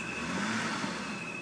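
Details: 2007 BMW 328i sedan, automatic, parked: thin, steady, high teapot-like whistle over a soft idle that wavers and revs on its own when the brakes are hit; it stalls when stopping; crankcase vent valve or vacuum leak suspected, unconfirmed.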